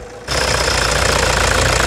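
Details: 2009 Toyota Hilux diesel with a stuck injector (bico travado), before replacement: engine catches and settles into a hard, rattly idle with a sharp knock every cycle, a diesel knock from the faulty injector.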